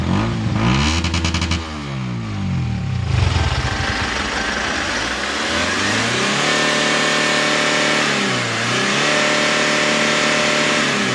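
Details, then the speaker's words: Kia K2500 diesel after repair of white smoke on hard start: revs rise and fall cleanly with smooth pitch sweeps, no stumbling or misfire; normal revving, no smoke or lag afterward. "Ayan guys ah naandar na tayo no So okay na yung andar Wala na palyado"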